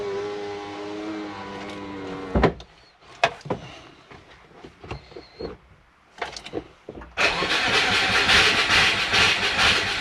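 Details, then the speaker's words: Turbo Subaru with a DIY exhaust manifold, just sealed up: the starter turns with a dragging whir and clicks but the engine never fires, and it is smoky. The owner thinks it is flooded with a low battery. "Think I flooded it and the batter is too low."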